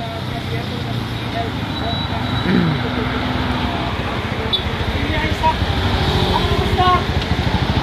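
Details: Kawasaki Barako 175 with sand in the engine, after its connecting rod bearing was found badly scored within 6 months of an overhaul and the damaged parts were dealt with. Now the single cylinder idles with an even thump, no knock or rattle; the noise is gone.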